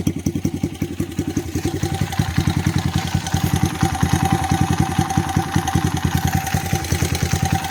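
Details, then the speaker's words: 2004 Honda CRF100F running at idle right after an oil change, drain plug tightened, slightly overfilled with oil, checked for leaks: quick, even popping of a small single, steady rate, no knocks or misses; normal idle, everything looks good. "far everything looks good. I'm gonna let it run for a few minutes, make sure it's good."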